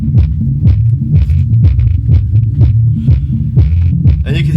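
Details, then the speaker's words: HK Audio Polar 8 subwoofer run alone with top speakers disconnected: low bass notes fuzzy with buzzing rattle on each hit; suspected loose part, overdriven or damaged speaker cone rather than amplifier, not yet confirmed. "So, although there could be a problem with the amplifier, I suspect That's a problem with the speaker. It sounds to me like something loose, or maybe this has been overdriven."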